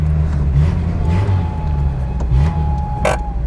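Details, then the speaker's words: Cold squeak from the graphite clutch release bearing on a Singer Imp-derivative classic with a rear-mounted engine and RWD: a thin, steady squeak over low engine rumble for a couple of seconds; it squeaks only when cold. "oh is that what that noise is yeah it's just on a graphite steady plate as a bearing so when it's cold oh right okay when it's cold it just squeaks"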